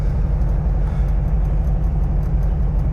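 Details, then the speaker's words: 1971 VW Bus air-cooled engine with dual carbs on test drive after repair, warming up: steady low rumble with a loose beat under road noise, no knocks or grinding, running fine; slight carb pop and vent poof noted. "But it's sounding all right."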